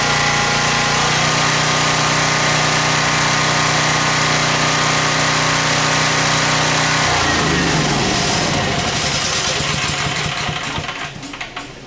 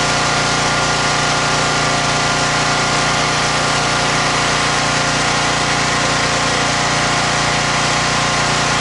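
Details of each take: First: Champion generator found at dump, 885 hours: runs steady and even at constant pitch, then winds down smoothly; no knocks or misses; heavy smoke at start cleared, possibly leftover oil from tipping. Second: Champion generator found at dump, 885 hours, first run after sitting, steady high buzz with constant drone, no load yet; smoked heavily then cleared after minutes, owner suspects leftover oil from being tipped or rolled; rough running after revival.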